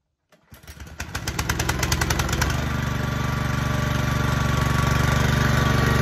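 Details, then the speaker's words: Ferris FW15 mower after deck belt adjustment and tightening, previously loose belt squealed on engagement: engine chugs up, blades take up immediately and smoothly with a steady hum and no squeal; normal blade engagement. "so you can hear when i engage the blades it immediately fired up rather than that you start hearing that squeal which i didn't have it before"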